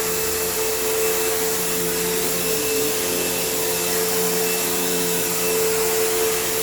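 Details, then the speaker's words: Kenmore PowerPath System vacuum on living-room carpet, just acquired: steady high motor hum with a slightly rough, uneven edge. The motor doesn't sound the healthiest and the owner plans to take it down, but it's not unsalvageable and needs a service and tune-up. "Although I do think I will need to take this down to the motor because it doesn't sound the healthiest, but it's not bad. It's not like, you know, unsalvageable."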